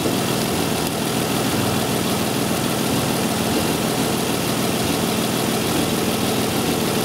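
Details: 2002 Isuzu Rodeo LS 3.2 L, which has a severe intermittent misfire with bank one (passenger side) at times not contributing, started and warming toward closed loop: steady, even idle with a smooth low rumble, no misses or knocks.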